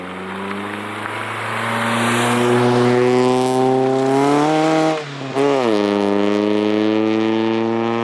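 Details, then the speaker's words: Scion tC with aftermarket race headers, to be changed soon, pulling hard from a takeoff: climbing revs with a shift midway and a coarse raspy edge over the exhaust note. "so hopefully I was able to capture the headers the rest that it has created like I said it's not something that I like but it will be changed out pretty soon"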